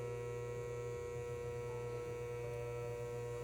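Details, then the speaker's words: 1930s-40s Robbins & Meyers 16-inch oscillating fan, model B16A6-O: steady electrical hum with a buzzy overtone but no spin-up, shaft locked in place; cause unknown, owner puzzled. "It did the same thing. It was just going, but I couldn't turn the shaft. The shaft was locked into place."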